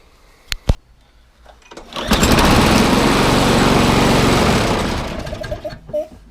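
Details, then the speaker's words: Viking MB545VR lawnmower with Briggs & Stratton engine: runs loud, harsh and shaky for a few seconds then dies; bent crankshaft, replaced with one from a 19-year-old Hayter Harrier donor engine. "how's it gonna see it looks like a crankshaft band or something else it's not really good is it"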